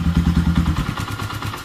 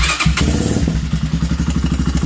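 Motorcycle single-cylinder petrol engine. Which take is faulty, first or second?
second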